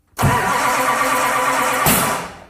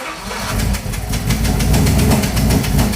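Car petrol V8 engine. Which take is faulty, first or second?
first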